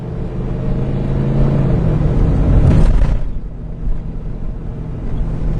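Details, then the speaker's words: 2002 Ford after EGR valve replacement, the only change made, following a rough idle and hesitation: while driving, the engine swells cleanly on throttle and eases back with no stumble, responding immediately to the pedal. Normal acceleration, though the long-term fuel trims remain unexplained. "wow the the car drives completely differently that egr valve had to have been it's the only thing i did wow you press on the gas and it just immediately responds"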